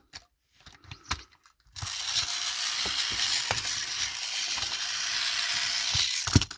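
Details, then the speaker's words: Trackmaster "Salty" toy engine from Hit Toy Company: it works, but the small motor runs with a harsh, high rasping buzz and uneven clicks. The cog needs replacing: noisy, ratcheting gear train. "Now, in this model is noisy. That means we need to replace. I can't put it back. Okay, we need to replace the cog on this Salty. As you can hear, it's noisy."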